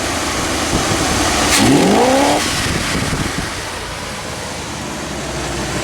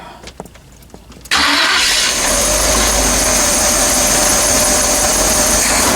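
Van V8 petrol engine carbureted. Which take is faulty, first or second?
second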